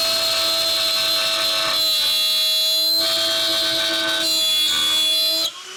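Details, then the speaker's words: Shapeoko Pro CNC router pushed past recommended feeds and depth of cut in wood: loud high-pitched screech over the spindle that grows louder in bursts as the pass digs in, showing the overloaded bit is struggling. "The one thing you can hear is the screeching gets louder and louder, which means it's really starting to struggle."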